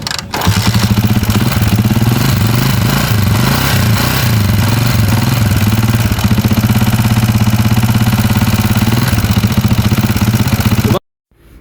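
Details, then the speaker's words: Honda TMX 155 Mulawin motorcycle, stored 4 months, idling before teardown and overhaul: loud, uneven idle with rough clattering that wanders in speed, noise coming from many places in the engine; excessive engine noise. "Iyon, so napakinggan natin yung andar ng makina ni Bossing. So sobrang ingay na ng kanyang makina, halo-halo na at kung saan-saan na nagmumula yung ingay ng kanyang makina."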